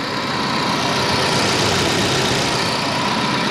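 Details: 1987 Volvo 740 Turbo automatic with 37k miles, idling after its air flow meter was replaced with a new Bosch unit: steady, even idle with a smooth low rumble, no misses or knocks; running well.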